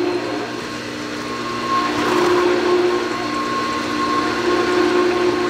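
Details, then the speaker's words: Sta-Rite Max-E-Glas 2 pool pump after a new motor replaced one whose bearings failed after 11 years, system primed with water: even, quiet motor whir with water rushing through, no grinding, rattle or squeal; running well. "So you can hear it's running nice and quiet. Pump right there."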